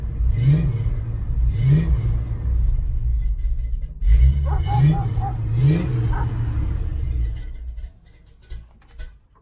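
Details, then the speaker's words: A 1969 Chevelle Malibu V8 during restoration, converted to an HEI distributor: several crisp throttle blips rise and fall cleanly over a deep rumble, then it settles. The engine is running strong and healthy. "we're going to start it up it runs great"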